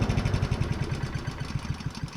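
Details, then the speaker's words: Honda self-propelled lawn mower after repair of a loud knocking noise, part refitted and tightened: steady even low putter with no knock or rattle; fixed and running smooth. "done fixed and ready for another five hundred and ninety hours hopefully"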